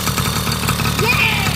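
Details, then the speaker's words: 1980 Honda Express II two-stroke scooter: quick, even putter with crisp exhaust rasp, steady settled idle; running normally. "now look at it it's super clean it runs it starts right up the lights work"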